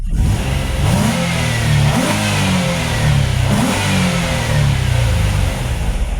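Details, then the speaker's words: Nissan Altima race car on a test drive after a misfiring coil was replaced with a good used coil from an Xterra: smooth, clean pull as revs climb and ease, no stumble or popping; no check engine light or misfire. "Guys, we are good to go. No check engine light, no misfire. Thing runs great."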